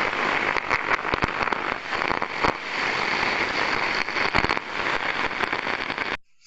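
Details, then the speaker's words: Electrical cabinet in service, heard via airborne ultrasound: dense, non-uniform crackling with sharp louder snaps and faint 50 Hz harmonics; arcing at a damaged connection. "as we can hear there's a lot of crackling going on there's a lot of it's very non-uniform in nature"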